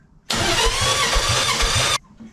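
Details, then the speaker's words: Nissan 300ZX VG30 being diagnosed for a misfire, cranked during a compression test with the injectors pulled: under two seconds of even, unbroken cranking with no lopsided beats. Compression is good enough in all cylinders. "good enough compression and all the cylinders to make explosions happen"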